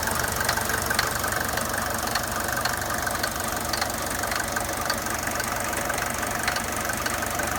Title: Mercedes 200D W124 engine knocking noise